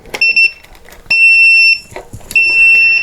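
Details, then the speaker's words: Upair One 2K drone transmitter powered from a 2200 mAh 3-cell 11.1 V battery to simulate low power: piercing high beeps, a few quick chirps then long tones repeating about every second, the low-battery warning. "the transmitter is beeping it's letting you know that the battery is low"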